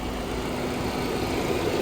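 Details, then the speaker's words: 1999 one-owner barn-find car with 70,000 miles, first start after sitting for years: smokes at first, then settles to a steady, even idle; owner suspects it was clearing its systems and burning off old fuel. "it's just claiming its systems and like burning off the old fuel is what I'm suspecting cuz look it's calmed down now and it idles really well"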